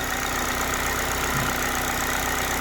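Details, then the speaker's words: Engine idling before reaching operating temperature, mass airflow sensor disconnected and AC off, checked for timing chain noise. Steady, even idle with a smooth hum and no ticking, knocking or rattle; it sounds good. "so um let me go out and listen to the engine so it sounds pretty good"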